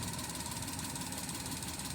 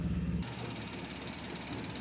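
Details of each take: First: Maruti Suzuki Alto 800 in neutral, no check-engine light or stored codes: short quiet idle with an uneven stumbling beat under the engine note; idle misfire traced to a cracked ignition coil. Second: Maruti Suzuki Alto 800 after fixing misfire via ignition coil, no fault codes: steady, even engine run with a smooth low drone and no misses or stumbles; healthy idle.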